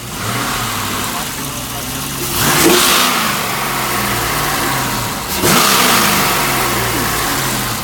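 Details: Rebuilt GM L92/LS3-family 6.2 V8 with LS3-style harness, no accessories fitted, warmed up on the run stand; warm idle with two quick, clean throttle blips that rise and settle smoothly, healthy, with great oil pressure.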